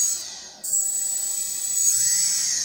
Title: RS2205 screeching noise